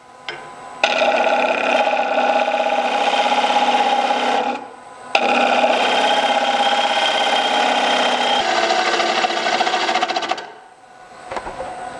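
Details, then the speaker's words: Wood lathe at about 1000 rpm finishing a dried, oval rough-turned elm bowl: rough rasping cut with a fast buzzing rattle as the gouge bounces, losing bevel contact near the rim. "right now the last sound you heard that bouncing in there that was my uh cutting edge losing bevel contact it's pretty good in here but once i got down here close to this rim i had a problem"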